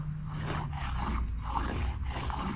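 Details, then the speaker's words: 2004 Ford F350 at 306k miles, wheel spun by hand before hub replacement: rough gritty growl swelling about once per turn, hub bearing judged shot without inspection. "yep so that bearing is definitely I'm going to say shot without looking at it I'm going to say it's shot"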